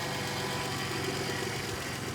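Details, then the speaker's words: Vauxhall Vectra GSi idling, heard from under the engine: smooth even idle, steady low hum, no knocks or ticks; sounds lovely, normal. "Under the engine, well, there you go, lovely. Sounds beautiful."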